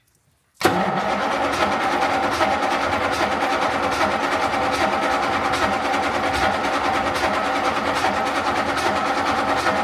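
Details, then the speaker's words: Daimler Majestic Major Hemi V8 limousine, cold start: long steady churning crank about three beats a second, reluctant to fire; choke seemingly needed; runs a bit shaky once cold-started. Hard cold start. "this choke Maybe yeah needing some choke well that is a nice deep Rumble that's nice that that sounds really [Music] lovely little bit cold a bit shaky sounds really nice doesn't it yeah it does"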